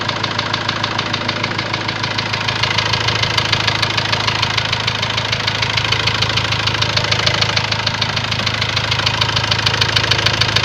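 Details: Ford Transit diesel at steady idle: sharp, evenly spaced knocking at roughly three per second. Later a warning light came on, the engine stopped gaining revs, and codes indicated high-pressure calibration data, cylinder balance and a leaking injector. Cause unconfirmed.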